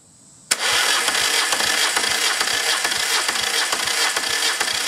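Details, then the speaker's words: Acme ADX 740 diesel, unrun over 10 years, after reinstalling injector pumps, injectors and new filter: fires and jumps to harsh uneven flat-out roar, racing at full throttle; throttle not working, linkage suspected. "Obviously, it's running full throttle. We can't have that."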